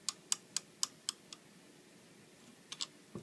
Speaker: you want to go across with your finger and tap on each one of the long pivot arms at the end if you hear it clicking that means that it's not adjusted properly